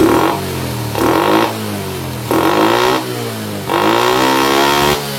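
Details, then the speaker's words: Honda Supra motorcycle that wouldn't rev fully and returned slowly to idle: four sharp blips, revs rising cleanly and dropping back to idle with no hesitation or flat spot; throttle response healthy. "Untuk gas kejutnya juga bagus sekali ya. Tidak ada kosongnya."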